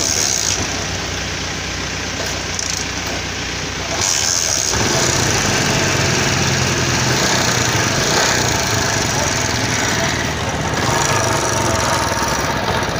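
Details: CD 70 China bike after silencer/exhaust joint repair: small single settles into a steady, even putter after restart, with no chuffing or ticking at the head joint; exhaust sealed, normal idle.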